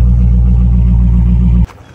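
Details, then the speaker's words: Salvage-auction V8 with good oil level, no check engine or airbag light: deep, even, lumpy burble holding steady without knocks or misses until shut off; healthy idle. "no check engine light no airbag light sounds very healthy oh yeah dang this thing is definitely sick I like"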